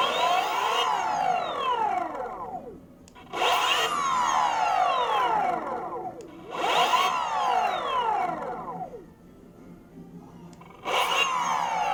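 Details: Boosted Board Mini X electric skateboard motor running with belts off: whining tone sweeps up then falls away every few seconds as the motor spins up and coasts; odd motor noise, cause unclear.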